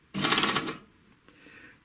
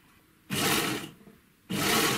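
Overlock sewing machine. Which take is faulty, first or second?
first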